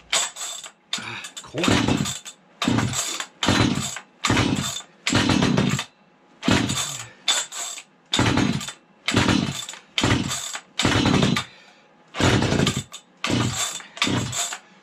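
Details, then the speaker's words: Vintage 1970s Stihl 031AV chainsaw, barn find left outdoors in the rain and unable to start, after starter fluid with spark arrestor bent aside: about a dozen rip-cord pulls, several catching in short sputters that die; fires but won't keep running, cause unconfirmed. "You guys can hear it, hopefully. She wants to go. She wants to go."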